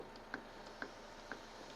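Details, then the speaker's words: Citroen Berlingo suspension: sharp metallic knocks about twice a second as the control arm is rocked, caused by a loose (unscrewed) bolt in the control arm bushing. "сальні блок стукає отак от людинка Каже щось в торохтить Таке страшне а тут виявляється відкручений болтик"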